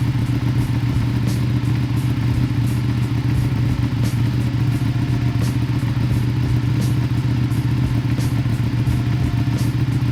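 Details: Ducati 959 Panigale idling at startup right after installing Ducabike clear clutch cover and new pressure plate: steady low throbbing lumpy idle with light mechanical clatter, even speed; normal.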